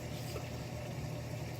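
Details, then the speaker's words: 8-year-old Miele Diamante Plus dishwasher filling, with the access panel and toe-kick removed so it sounds louder. Steady, even rush of water with no knocks or grinding: normal fill. The grinding during circulation is suspected to be the circulation pump or motor. "so far all the sounds that you hear are normal obviously it's a little bit louder since I remove the access door here"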